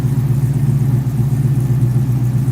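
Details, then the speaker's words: Firebird with stock LS3 V8 and two-chamber Hooker mufflers, just after cold start: deep even low rumble with steady beat, no misses or knocks; normal idle. "Hooker mufflers is what's on here. Two chamber hooker."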